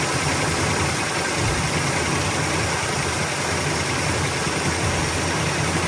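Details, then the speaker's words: 1972 Chevrolet Nova V8 with Holley carburetor, warm, after choke adjustment, leaning the mixture and adding ignition timing: steady even burble at idle with no misses or stumbles, loping settled; normal idle, small fuel pump leak noted. "Definitely happier. All right, so a little bit more adjustment to idle speed and mixture."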